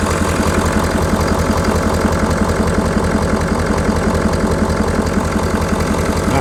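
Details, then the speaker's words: 2019 Ford F250 6.7L Powerstroke diesel just after EGR cooler upgrade, intake reinstalled, coolant line joint zip-tied: even, steady diesel clatter at idle with regular beat, no hiss, whistle or miss; running right, nothing leaking. "I don't hear anything crazy this is holding up very barely"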